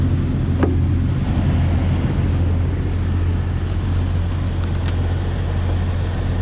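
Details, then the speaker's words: Cold-started 26-year-old Jeep Wrangler TJ at idle: a steady low drone with a faint tinny buzz as the muffler's outer shell, unhooked from the inner shell, rattles; the noise stops once warm, and replacement of the muffler and exhaust pipe is planned. "You can hear that muffler rattling now. As soon as it warms up, that quits."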